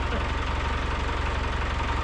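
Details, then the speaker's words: Land Rover Discovery with a freshly swapped 200Tdi diesel at its first start after the re-fit, idling; oil pressure gauge at about 50 psi, reading 10 psi low. Steady, even diesel clatter with a regular low pulse, no stumbles or knocks; sounds good and quite smooth, normal idle. "that's the first time that we started it. Sounds good. Sounds quite smooth."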